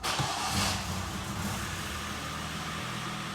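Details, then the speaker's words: 2011 Hyundai Sonata 2.0 G4KD, 175,000 km, first start after repairing cylinder scuffing and piston knock: oil pressure comes up and the engine settles into a smooth, even, quiet idle with no knocks, ticks or rattles. "так давление пошло работает ровно работает тихо без посторонних звуков шумов"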